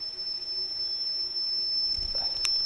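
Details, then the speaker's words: Atari XC12 cassette drive after cleaning and repair, playback of a saved program heard through headphones: a clean, steady high-pitched data tone without dropouts or wobble on the right (program) channel, recorded correctly. "can also see that the signal is on the right side so it sounds like it's recorded good and was on the right side which is the program side so the actual unit has recorded my saved program"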